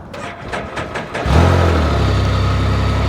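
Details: Salvage vehicle, after clearing the safety message with the mode button: about five quick cranking pulses, then it fires straight away and holds a smooth, steady idle; normal start.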